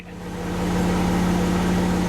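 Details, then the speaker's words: Supercharged Jaguar XJR bought as a non-runner, after cooling system repair, refilled with water: steady, even, smooth low-drone idle, no knocks, misses or ticks, low coolant light off, no leaks seen; normal idle. "it runs there's no low coolant light on anymore"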